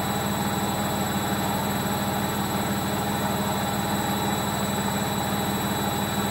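A hard, steady rumbling roar with a fast chugging pulse runs through the final spin, the classic sound of worn drum bearings.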